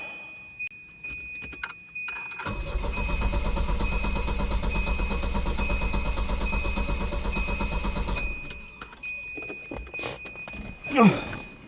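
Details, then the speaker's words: Volvo after owner's wiring repair, first start attempt; even starter churn for about six seconds, engine never catches and no fuel pump hum heard; crank no start, cause not confirmed. "Let's see. I should be able to hear the pumps. Well, then again, it's not running, so."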